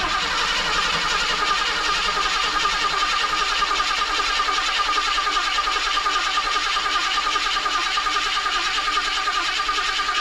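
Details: 1976 Ford Ranchero 500, 351 Modified 400 engine said to need main and rod bearings, reassembled and cranked to build oil pressure: even, brisk starter churning about 2.5 beats per second with no firing. Normal cranking without start.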